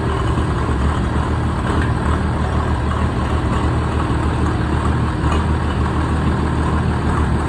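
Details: 1965 Minneapolis Moline G707 tractor bought off eBay, seller said dirty fuel tank and ran poorly, started on an 80-degree day: deep, steady rumble with even beat, no misses, knocks or hunting; engine running healthy.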